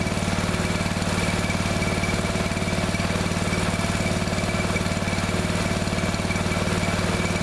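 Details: Neglected riding mower revived, after replacing fuel line and clamps, refitting shutoff and filter, fresh gas, jump pack on weak battery: steady, even idle about three beats a second, no misses or knocks; runs perfectly now.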